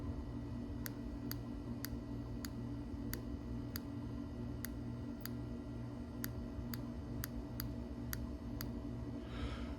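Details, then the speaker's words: 2007 Suzuki GSXR750 that sat about 10 years, fuel injector bench-tested with 12 volts, air conditioner running in the background. Sharp single clicks with each application show the injector works; it is to be cleaned. "So, we know there's continuity, but you can hear the click. So, we're going to clean them then, I guess. But look, there's nothing wrong with that injector."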